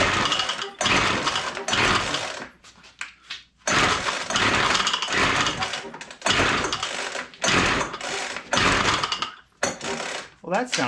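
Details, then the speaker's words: WeedEater Featherlite two-stroke string trimmer found full of water, with spark confirmed: repeated pull-start bursts, each a short ragged pop-and-buzz that catches briefly and dies; fires but won't keep running. "like it wanted to go didn't it"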